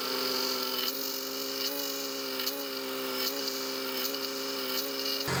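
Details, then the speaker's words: Audi B5 S4 at idle just after an OEM power steering pump replaced the whining aftermarket one, with the system not yet fully bled: a steady high-pitched pump whine, already quieter and expected to fade once bled. "okay well still making a little bit of noise but we might have to just give it some time to uh bleed out"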